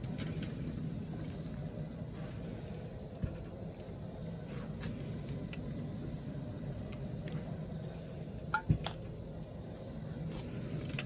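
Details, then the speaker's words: Home-canned fresh chicken broth pint jars cooling after canning: quiet room with occasional sharp single pops, some louder than others, as lids seal properly. "some of them have a lot louder pop than others that's okay a seal is a seal"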